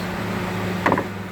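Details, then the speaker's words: Peugeot 307 with crank-no-start complaint: radiator cooling fan runs nonstop with ignition on, steady low electric hum with one sharp click; no fuse seems blown, fan to be disconnected to avoid draining battery during diagnosis. "okay so i'm gonna be trying to disconnect that fan so i can be able to do a proper diagnostics on this thing here because if the fan stays on running it's gonna it's gonna kill the battery"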